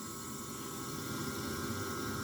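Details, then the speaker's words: Whole-house dehumidifier refrigeration unit after shutdown: newly added electric bypass (defrost) valve opened to equalize compressor and evaporator pressures so the compressor can restart; steady even hiss of refrigerant equalizing, plus valve humming. "until that stops [Music] i may need to do a bit more until the pressures are totally equal and that's just the valve humming that's all that noises"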